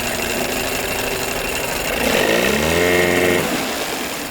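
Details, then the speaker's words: 1982 Evinrude 9.9hp long shaft outboard, reassembled after paint, thermostat, water pump and crank seal work, idle turned down lower: a rough idle chatter sags in pitch and dies. It stalls; owner suspects a fuel issue and plans to raise the idle and retest. "Yeah, I don't like that it stalls. That could be that fuel issue."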